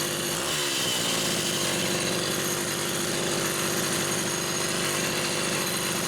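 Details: Rebuilt Homelite Super XL SDC carburetor on a test saw with a Phelon electronic coil: holds a steady, high buzzing rev for several seconds without missing, surging or sagging; healthy running.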